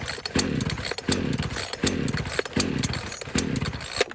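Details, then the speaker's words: A chainsaw, possibly a Craftsman S1600, that seemed to be out of fuel and was refilled with oil-mix gas. Repeated pull-cord strokes each give a brief sputtering catch that dies out; it wants to start but won't keep running. "There we go, it's wanting to start. You can hear it wanting to start."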